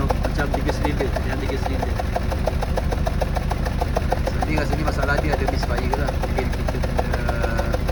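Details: Honda Civic FD 1.8: engine shakes suddenly when stopped, runs rough and loses power; uneven, lumpy idle with irregular ticking pulses about three per second stumbling out of rhythm, a misfire from a faulty ignition coil.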